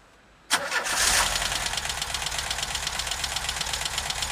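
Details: VW Vanagon T3 starting cold: engine cranks and catches, then settles into fast, sharp ticking of about three per second over a rough cold idle; there is strange smoke when cold and the source is unclear.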